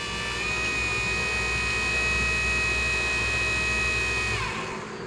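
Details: 1972 Mercedes-Benz 280 SE 4.5 (W108) AC cabin blower motor, on the bench on a battery after cleaning and lubricating its shaft bearings to cure screeching: smooth, steady high whine with no scrape or rattle, then an even spin-down; the motor now runs cleanly.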